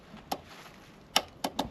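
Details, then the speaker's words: Polaris Scrambler 500 barn find that sat 10 years, key on: four sharp uneven clicks, no cranking; starter solenoid clicking from dirty terminals, worked after cleaning the terminals. "The starter solenoid's still bad, but Oh, yeah."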